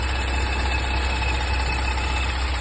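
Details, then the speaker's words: Porsche Macan on a lift, idling: a steady thin whistle that doesn't change pitch. The mechanic traces it to the gearbox and suspects the clutch. The membranes appear to be sucking, the cap opens with difficulty, and the squeal starts when it is opened. "В общем, машину поднимали, звук идет конкретно с коробки. Прямо звук, короче, писк идет. И такое ощущение, что как раз вот со сцепления звук."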